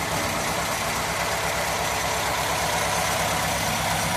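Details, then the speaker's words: Classic Ford V4, started a little cold with air filters off, settles into a steady, even normal idle with a slightly odd low hum from the balance shaft; nothing wrong. "unusual note cuz it's balance Sha but you've seen that before so that's that one out"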